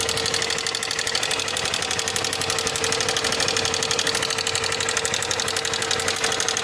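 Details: 2024 Fan motorcycle idling with a busy, rapid metallic clatter and a steady whine: a strange engine noise appearing for the second time in under 6,000 km. The cause is unclear.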